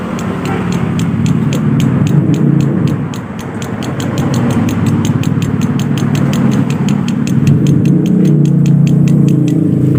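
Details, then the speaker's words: Yamaha Aerox scooter engine: sharp metallic "prak prak" rapping about four per second over the engine note, rising with revs; connecting rod big-end knock, rod fault confirmed when the rod is lifted and tapped. "ini cenderung suaranya seperti ada suara prak prak prak prak prak"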